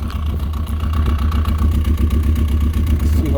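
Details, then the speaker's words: Yamaha RX1 on a test ride at steady speed: a low, uneven engine note with irregular stumbles, a persistent misfire. It is still there after the rusted, arcing ignition coil was cleaned, and a gummed-up carburetor is suspected next. "okay so I went for a test ride and it still got that misfire even with my lader up coil"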